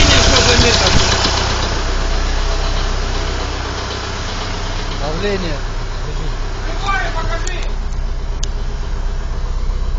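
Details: Warm engine at idle after restart: steady knock about four times a second over the engine note; engine knock, cause not found.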